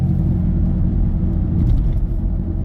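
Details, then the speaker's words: Worn wheel bearing, suspected right front, on a customer's vehicle during test drive: heavy, loud steady low rumble that gets lighter when drifting or turning right and louder drifting left. "I don't know if you can hear that noise too. That's the wheel bearing. Sounds like it's right front. It's pretty loud."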